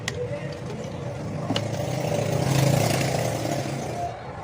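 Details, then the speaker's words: AC/DC gas compressor pump after DIY repair of running-but-no-pressure fault, now tested on mains power where it runs slightly faster; steady low hum with even fairly quick pulsing, no knocks, pressure now correct, fully working. "بجلی پر چل رہا ہے، جیسا کہ آپ دیکھ سکتے ہیں۔ بجلی پر اس کی رفتار تھوڑی زیادہ ہے۔ اب اس کا پریشر بھی ٹھیک ہے، یہ مکمل طور پر فعال ہے، آپ ویڈیو میں اس کی آواز سن سکتے ہیں، دیکھیں، یہ ٹھیک ہے۔"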